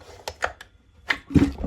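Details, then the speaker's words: Two-stroke trimmer, spark plug in, no throttle, pulled by cord: each pull gives a short dull puff from the exhaust, the normal sound, unlike the Stihl FS 55's silent clogged exhaust. "Quando você puxa o cordão de uma máquina dois tempos, com uma vela no lugar, sem acelerar, sem nada, simplesmente puxa, você sente que sai um som do escapamento. Isso mesmo. Ele sai um fop, fop pelo escapamento. E é isso aí normal, olha bem."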